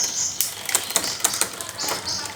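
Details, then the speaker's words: Bicycle rear derailleur being adjusted by adding cable tension: rapid freewheel ticking with uneven chain clatter as the shift still hesitates on first gear before catching. Delayed rear derailleur upshift. "Masih ada keterlambatan pada gigi pertama, jadi kami menambahkan lebih banyak ."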